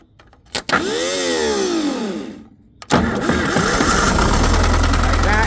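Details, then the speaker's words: Case 580B backhoe, thought to be early 1970s, mechanical diesel, cold start after sitting a couple of weeks: a short crank, then it fires at once into a steady, even clattering idle. It's an easy normal start despite heavy blow-by from the tube. "a cold start. This thing hasn't been started since I parked it here a couple weeks ago. It fires right up."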